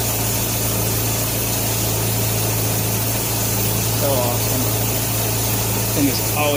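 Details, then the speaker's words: 1957 Nash Metropolitan barn find that sat for many years, warming up at idle on old gas after crossed plug wires 3 and 4 were fixed: a steady, even low idle at constant speed with no misses or knocks. Normal warm-up idle. "been such a sweet little car all i wanted to do was run and i couldn't keep my plug wires straight well i'm gonna let it sit here and just warm up for a little bit before i shut her down"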